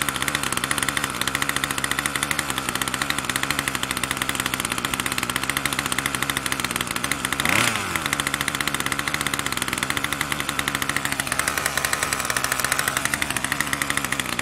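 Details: Troy-Bilt TB2MB two-stroke after a new short block is fitted, primed and choke on: steady, fast buzzy note never settles to a slow idle; the throttle cable never returns fully to rest.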